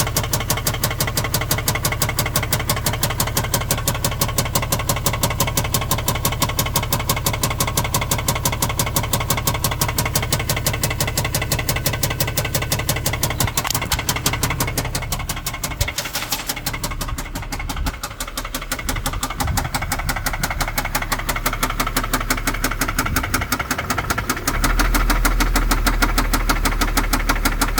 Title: 2010 Infiniti G37 engine knock